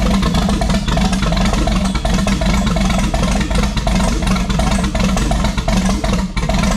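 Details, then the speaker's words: First start in over 20 years of a 1972 Monte Carlo with a twin-turbo 5.3 LS V8, T56 and turbo mufflers: lopes at a fairly quiet, steady idle with a mild rumble and no knocks or misses, after about half a second of cranking. "it's actually quieter than i thought that was like two half a second of cranking and here it is"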